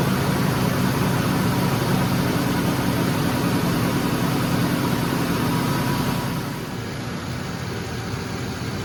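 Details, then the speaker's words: 2007 Ford F-150 5.4L 3V Triton, cold start after timing chain, tensioner and cam phaser replacement: steady smooth idle settling lower, no chain rattle; normal, though a slight exhaust leak at manifold or donut gasket is noted. "so it actually sounds really good in person I noticed during editing on that last time I had it running it sounds kind of it sounds like it's got a click into it in the video but here in person it does not"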